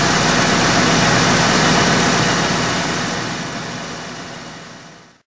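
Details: 1995 Ford F-250 4x4 V8 after new plug wires, cap, rotor and plugs (earlier tick was the arcing #3 plug boot): full, steady rumble with no tick or snap over the exhaust, fading at the end; normal, even ignition.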